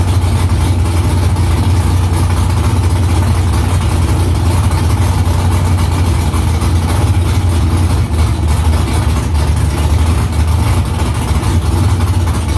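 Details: V8 with newly installed headers and exhaust refitted under the car. Deep, steady burble with an even lope and no knocks or ticks; louder in-cabin with seat vibration. Smoke from drying header silicone. Healthy normal idle.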